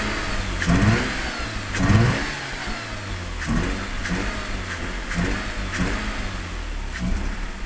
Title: RX8 110000km 2004 - Broken Sideseal - Very rough idle, power loss, pulsating air suction sound